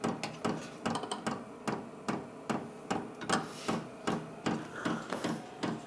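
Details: Vevor 12V 8KW diesel air heater starting up indoors: steady ticking about two and a half clicks per second over a quiet hum; normal dosing fuel pump action.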